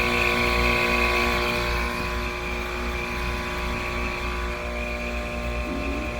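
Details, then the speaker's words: DIY VFD-driven two-stage heat pump in a Carrier cabinet, fan at maximum speed: steady loud drone with a buzzy metallic hum; moving the compressor doesn't change it, so compressor thought good; hum starts before the compressor speeds up, source unknown. "something this compressor when I move it doesn't even change the sound so I think the compressor is good but something metal wise is really humming I don't want to hear that inside the"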